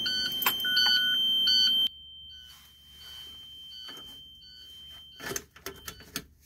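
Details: International school bus no-start: high steady beeping for two seconds then faint repeated beeps, no cranking; rear door latch locked engages Vandalock anti-theft system, preventing start, a common cause.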